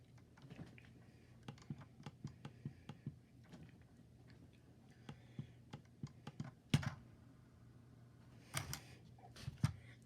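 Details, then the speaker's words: Logitech G502 Hero wired mouse: crisp light ticks in short irregular runs from the scroll wheel, even ratchet; normal scroll wheel clicks. "basically the mouse is like a normal screw scroll wheel like any mouse will have and start it goes and then it stops"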